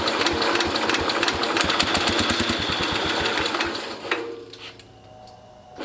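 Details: International Cub Cadet 109 garden tractor, Walbro carburetor just rebuilt with new kit, fuel tank valve leaking: uneven, loose putter around three beats a second with some misses, then fades out; runs but idle unsettled, smoking.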